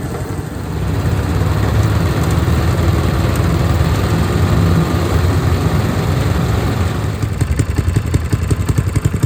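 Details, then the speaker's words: Honda GX160 on a Logic MSC120 sweeper, after a full service and chain-noise fix with a new spring fitted: a steady, even single-cylinder putter with no drive-chain clacking. Running normally. "That's running much better now."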